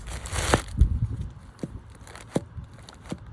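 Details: New replacement wheel bearing for a 1.2 petrol Vauxhall Corsa C, spun by hand off the car: quiet, with only handling clicks and rustle, no grinding. The old bearing it replaces sounded grindy and crunchy.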